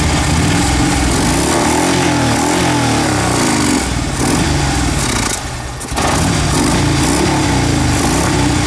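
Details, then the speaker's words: Fuel-injected Harley-Davidson V-twin after the intake was cleaned to fix stalling at idle and an over-rich rear-cylinder P0152 code; a loping, even idle holds steady without stumbling or dying. "It solved my stalling problem. It would not idle like this. It would stop completely. Now it's idling like it's supposed to."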